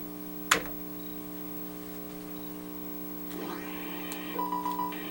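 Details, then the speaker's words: Commodore 128 after a sound chip replacement: sound returns but with an awful steady low buzz and stacked fixed tones. Mains ripple from a bad capacitor was found on the board. "right so it is generating sound but there is it awful buzzing here so I guess we need to take a look at the schematics and then check some waveforms to see where this buzz is coming from"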